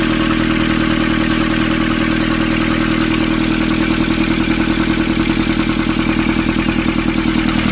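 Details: Nissan Urvan ZD30 diesel after a no-start repair in which a soot-clogged part was cleaned and refitted: even clatter at a steady idle, about three beats a second, no stumbling or hunting; running healthy.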